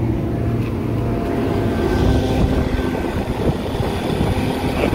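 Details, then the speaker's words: Indoor blower motor of a kitchen AC unit on a no-cooling call, making a rough steady growl and hum; bearing sounds dry, to be pulled and lubricated or greased. "you guys can hear that, bearing sounds dry. So I'm gonna shut this guy down and pull that out and try to lube up the bearings or grease up the bearings and see if that helps."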